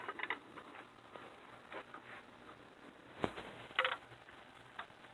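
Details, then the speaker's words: Fuel meter casting from a 1961 Corvette fuel-injection unit, leaking at the high-pressure pump mating surface, before lapping. Light irregular metal clicks as it rocks under heavy pressure on a flat bar. Warped casting, not flat; later resurfaced true. "I'm putting real heavy pressure on it, and you can hear it. It's not flat."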